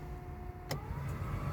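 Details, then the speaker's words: Heater blower on Project Ruby after fitting a £10 replacement heater: a quiet, airy whir stepping up in pitch from speed 1 to speed 2, much better than before. The fan now works properly. "two oh that's a lot better yes 10 pound heater has done the trick perfect"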